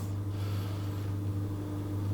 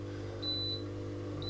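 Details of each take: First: Coldis COLV12a+49dm dishwasher after fixing beep-and-won't-start fault, first stage of cycle; steady low hum with faint constant tone and no beeping, drain pump emptying leftover liquid for about 20-30 seconds, normal. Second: Coldis COLV12a+49dm dishwasher at the first stage of a cycle, won't start: high clear beeps about once a second over a steady low pump hum as the pump runs indefinitely; leak detector error beeping.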